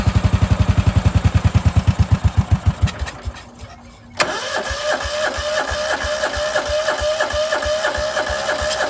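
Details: Cub Cadet 2146 lawn tractor, 14 hp single-cylinder Linamar engine, sitting 3 years, frozen choke, battery assisted, full throttle: cranks about three seconds, pauses, fires and settles into steady even thumping run.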